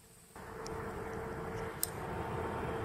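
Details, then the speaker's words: Small fan for a DIY radiator heating booster running at full load, 2200 rpm, drawing about 0.36 W, held up to the microphones; only a soft, even rushing with a faint steady hum, normal quiet fan running. "der arbeitet unhörbar der läuft jetzt voll an der Last der dreht mit 2200 Umdrehungen super leiser aber dafür sind die auch bekannt"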